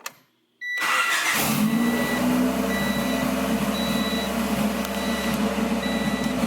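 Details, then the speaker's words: 1992 Honda Civic EG, D15B7 1.5 single-cam, budget turbo build with no blow-off valve or intercooler, started cold: cranks and catches, settles to a steady slightly high idle with chimes beeping; normal cold-start high idle, expected to drop once warm. "Now the car's cold right now, so it's gonna idle a little bit high, but once it warms up, it start idling low."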